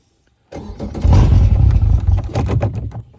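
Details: Newly installed Yamaha VMAX 115 outboard, initial start with new fuel separator: starter spins it in uneven low chugs under three seconds, never catches; cranks but won't start, cause suspected, not confirmed.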